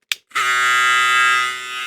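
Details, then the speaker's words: Electric clipper with the new Zircon/Rosius blue blade. Harsh steady buzz, higher and louder than the machine's original sound; owner unsure whether the lever moved, cause not confirmed. "No es su sonido original el que viene en la máquina. Debería ser así. Está un poquito más alzado."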